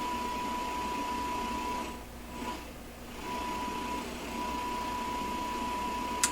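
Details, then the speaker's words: Sanyo GXT4505K combo receiver with no FM reception, no antenna, a strong signal with a 1,000 Hz tone fed straight into its back: a thin steady tone sits faintly under hiss and drops out briefly; the FM section barely receives. "There it is. 5 kilohertz, 1,400. So it's working a little wee bit."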